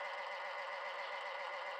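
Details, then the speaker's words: 1971 Westinghouse 5-tube alarm clock radio, clock motor just started after a tap: thin steady buzzing whir with faint fast ticking; loud gear train, seems to need oil. "oh it's loud here you could probably hear that wow"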